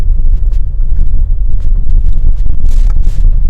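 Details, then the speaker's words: Mercedes-Benz GLE 250 after front and rear suspension overhaul (new bush kit, new front shock absorbers, original arms), driven over large speed breakers and rough road: steady low road rumble, no clunks, knocks or rattles; suspension quiet. "No extra noise. यहाँ speed breakers हैं, उसके ऊपर काफ़ी ज़्यादा बड़े speed breakers हैं ये। लेकिन नॉइस कोई भी नहीं है यहाँ पर।"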